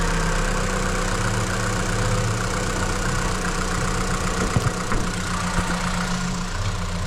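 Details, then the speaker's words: 2015 Vauxhall Astra petrol, previously crank-no-start with no fault codes, after repair checked with coil pack voltage: steady even low idle, light handling ticks in background; runs normally. "beautiful and there you have it that is one successfully diagnosed and repaired Vox orri"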